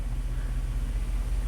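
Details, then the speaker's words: Rusty 2002 Dodge Dakota V8, 104,000 miles, one-trip P0300 stored, after minimum TPS relearn: low, even rumble with gentle regular pulse, no stumbles or misses, idle settling around 600 rpm; normal smooth idle. "can I let low real smooth I like it"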